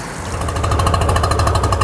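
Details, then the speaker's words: Tohatsu three-cylinder outboard, carbs and fuel pump rebuilt, plug-boot pull test while running: rough uneven lumpy thump about ten per second with missing beat; top cylinder dead, later found running on one cylinder. "see that no difference in the noise that means the top cylinder isn't working"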